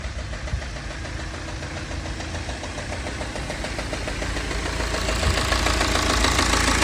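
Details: Diesel BMW E92 320d with N47 engine at idle: a steady light tick, about three or four a second, over the engine's rumble; cause and fix unknown, owner asks.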